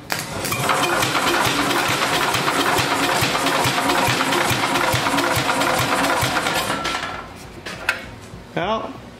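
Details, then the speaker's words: Vintage Wisconsin engine during a compression test: slow, labouring crank with heavy uneven thumps about three per second and the engine never catching. Owner suspects the battery is dead or the engine is struggling. Cause unconfirmed. "it seems like it's really struggling or just batteries battery's dead"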